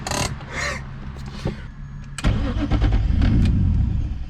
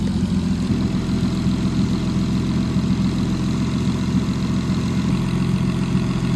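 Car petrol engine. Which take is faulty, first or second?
first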